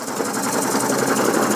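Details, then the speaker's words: Coal-fired model steam puffer boat engine running fast: busy mechanical chatter with steady metallic clatter and hammering; owner suspects too much play in the prop shaft. "It's rattling a bit when it gets a bit fast, but I think I've allowed too much play in the prop shaft."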